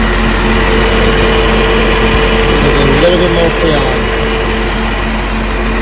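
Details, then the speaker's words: 1990 Chevy Corvette whose A/C compressor clutch would not engage, after reading and resetting A/C codes, 100°F outside, fan on high: steady idle, smooth compressor note joins and the fan runs, no rattle or squeal; compressor now engaging normally. "there goes the compressor kicks in and you see the fan comes out now nice and hot you can hear it all right looking good"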